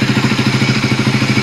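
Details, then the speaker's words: Raider 150 Fi after ECU reset and throttle body cleaning, idle screw turned two rounds, warm after 20 minutes running: steady, even single-cylinder idle with no misses. Earlier it had a delayed, gappy sound, possibly from low idle; now correct and quiet. "At, eto na yung tamang tono niya. So, hindi ko na kailangan baguhin yan. At medyo maganda na rin yung tunog ng makina niya rito, hindi gaya ng mga nakaraan nung ginagamit ko."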